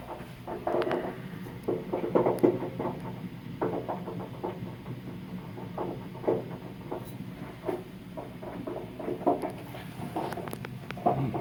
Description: Tenant complained of hot water heater making a popping noise. Fix would be to flush tank.